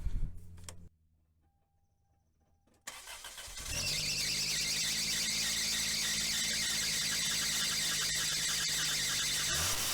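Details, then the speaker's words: Toyota Corolla with bad power steering pump, reservoir full, after switching to Lube Guard fluid: on second cold startup a loud steady high-pitched whine over idle until throttle stabbed; noise lessens once the car warms up. Power steering pump whine on cold start. "okay so on that second startup um it was making all that noise and I had to stab the throttle and then it stopped uh the power steering the the power steering pump sto making the noise"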